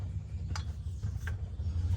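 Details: Stihl MS170 chainsaw previously seized, freed and running but screaming from crankcase, partly disassembled: rough low grinding with sharp clicks as crank is turned slowly by hand; something binding inside.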